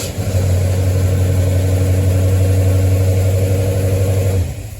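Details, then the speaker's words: 1973 Mustang after a 1G-to-3G alternator conversion, restart check: catches at once, holds a smooth, even low drone for about four seconds, then shuts off. Starts and runs perfectly; battery tested slightly weak on cold cranking amps but plenty. "Okay, so what I am saying at this moment is that the engine is starting and running perfectly well."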